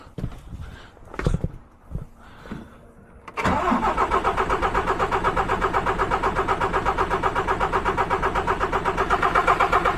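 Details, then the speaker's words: DAF MX-13, model year 2017, 530, customer reports ticking at about 1000 rpm; revs locked at 1000 for the unit pump cut-out test on pump 2. Hard clattery knock, 'bag of nails'. Won't start on pump 1; suspected camshaft follower or unit pump. "So the truck's now performing the high pressure unit pump test on pump 2. Well, that sounded like a bag of nails."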